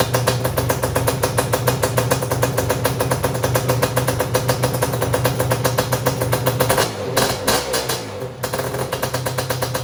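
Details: Suzuki LT500R Quadzilla two-stroke after top end and carb rebuild, first start on newly installed electric starter with 24.9 V batteries: catches quickly, crisp even rapid popping with a brief stumble near the end; normal start.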